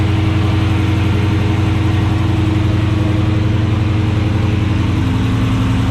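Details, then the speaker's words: 2016 Dodge Charger Scat Pack V8 with long tube headers, K&N intake, catch can and tune, after installing ProFlex Commander E85 flex fuel kit: deep even steady idle, no misses, knocks or ticks; running normally. "Good. Sounds like normal. Sounds like normal."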